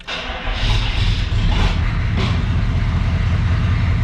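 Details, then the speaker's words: 1994 Chevy 1500 4x4, 6.5L turbo diesel, 183,000 miles, started after glow plugs warm up; catches within half a second, settles into steady even low diesel rumble, no misses or knocks; runs well. "let the old glow plugs warm up [Music] turbo diesel doing turbo diesel things almost"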